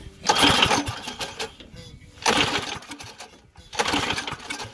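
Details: Yerf Dog go-kart engine: three separate bursts of cranking, each about a second and a half, never catching or firing; cranks but won't start, cause not confirmed.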